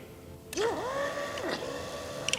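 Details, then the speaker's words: VW Fox with 1.8T GTI engine, fuel pump not priming from the ignition; the pump basket was pulled from the tank and wired straight to a battery: a steady mid-pitched whine starts instantly and holds even; the pump itself runs normally. "you you can hear that our fuel pump is working when we connect up this battery"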